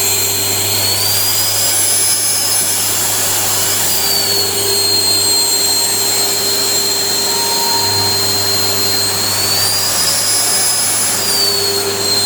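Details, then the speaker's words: Panasonic MC-CJ911 (Made in Japan) vacuum cleaner after repair: original 2100W motor with worn carbon brushes (smell) and broken bearing (noise) replaced by new 2000W motor; now an even high-pitched whine with steady hum, no rattle or grinding, working well. "giờ không còn tiếng ồn và mùi hôi nữa , giờ nó hoạt động tốt."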